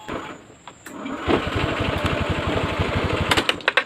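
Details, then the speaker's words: Honda Scoopy FI 2014 scooter after starter repair: starter chugs sluggishly and unevenly for about two seconds before the engine catches; owner suspects a low battery and checks it, slow cranking. "Kenapa barusan tidak langsung nyala? Ya, saya coba matikan kembali. Barangkali aki saya ini juga low ya, cuman lebih kuat sedikit saja."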